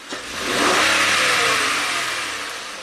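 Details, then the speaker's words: 2006 Honda Accord V6, 205k miles, misfiring with P0300, on a snap throttle: it revs and falls back unevenly, and cylinder 1 peak compression is 60 psi against 70 on cylinder 4, a misfire from low compression. "let's take a look at cylinder number one so before our Peak compression was 70 now we're this one's down to 60 more than 10% compression loss so I'd say that's cylinder 1"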